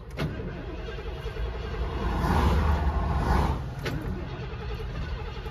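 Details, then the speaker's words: 1991 Ford E350 Winnebago Itasca motorhome, 460 big block, hot after driving, with earlier fuel starvation stumbles: starter cranks steadily about four beats a second but engine won't start, fuel pump heard running; owner suspects fuel issue, not confirmed. "it's not starting do it again i hear the pump running"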